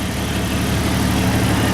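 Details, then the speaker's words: 1993 Jeep Grand Cherokee 4.0 six-cylinder, 186,602 miles, at operating temperature about 210, 45 psi oil pressure: even, low rumbling idle with no knocks, misses or ticking; smooth, healthy. "This one, as you can see, sitting here idling, nice and smooth, runs great."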